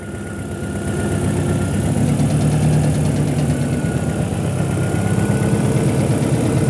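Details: Honda petrol engine at idle after replacing the broken detonation knock sensor under the intake manifold: smooth steady hum, idle tapping gone; valve lash and ignition timing adjustments had not cured it.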